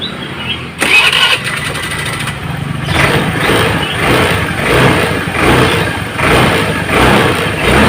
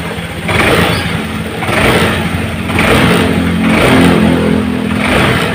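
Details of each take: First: Honda Vario Techno scooter with weak uphill pull, traced to a torn carburettor vacuum diaphragm; after refitting the standard-length vacuum spring instead of a cut one, revs rise and fall cleanly with the throttle, acceleration matching throttle opening. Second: Honda Vario Techno scooter with torn carburetor vacuum diaphragm, sluggish on hills, fitted with cut vacuum-piston spring: each initial throttle twist gives a lag before revs climb, sound not matching throttle; hesitation compared against standard spring.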